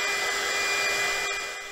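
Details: KAIWEETS KEH01 mini heat gun, 450 W, on second speed: steady high airy rush with thin constant whistle, no rattle or wobble; fan running normally.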